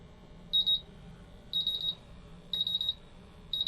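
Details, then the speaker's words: MultiRAE gas detector bump test with calibration adapter and test gas flowing: high beeps near 4 kHz in short bursts about once a second as all four sensors go into low alarm. "What I'm looking for is for all the 4 sensors that are being bump tested to go at least into a low alarm. With the instrument alarming, make sure that all the LED lights light up, the buzzer is functional, and you can feel vibration."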